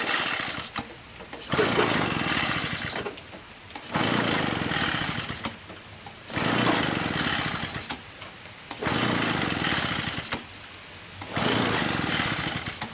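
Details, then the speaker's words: Curb-found Echo PB-403T two-stroke backpack leaf blower, carburetor cleaned, magneto reinstalled, kill wire disconnected, starter sprayed into intake: repeated recoil pulls about every two seconds, engine never fires; cranks but will not start, no spark suspected. "So it, you know, you should hear something. It should kind of start, you know what I mean? Nothing, man."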